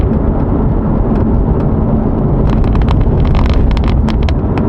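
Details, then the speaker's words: C7 Corvette driven on a bumpy road: low road rumble, then clusters of light, sharp rattling ticks over bumps from the removable targa top panel, a common early C7 issue fixed cheaply. "you can hear that rattle it's not really bad it's not nothing crazy but it is slightly annoying"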